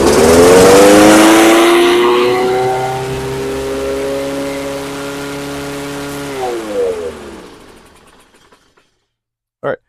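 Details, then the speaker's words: Toro Recycler 22-inch mower, Kohler 149cc 6.75hp, dirty fuel and carb, air filter removed: revs shoot up and hang high, never settling to governed speed, then die; overspeed, suspected sticking governor linkage or throttle butterfly. "It does start. and it actually stayed running. You can hear the RPM's running away. So, that tells me that probably what's happening is the governor linkage is getting hung up."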